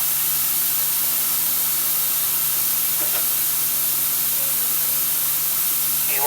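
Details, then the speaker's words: MCI MC5 coach with new air lines, while the parking brake is released: constant sharp hiss over a faint low hum, no pulsing. Compressed air is leaking somewhere on the left side. "Actually, it sounds like it's leaking. Yes, we have a air release leak somewhere on the left."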